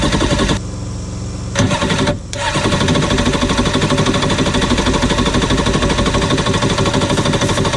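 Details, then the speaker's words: 1993 Yamaha WaveRunner 650LX two-stroke on a newly installed carburetor with fresh mixed gas, fuel valve switched on. Raspy engine catches after a brief stumble, then runs with a fast, even pulse and no knocking. Healthy. "[Laughter] you know what she runs all right let's put some more stuff together on it"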